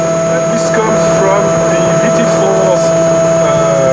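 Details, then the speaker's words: Roland MX-1 mixer at full volume, recorded by AT2020 USB mic near monitor, Roland VT-4 analog output: loud steady hum with hiss and thin whistle; ground-loop hum from analog output. "and the worst for the end I mean it's really the worst this is absolutely horrible"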